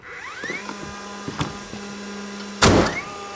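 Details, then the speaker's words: DeWalt flywheel framing nailer: short rising hairdryer-like whir, sharp bang, then whir winds up again; flywheel spinning up normally. "It's Verks. Kind of sounds like a hairdryer though."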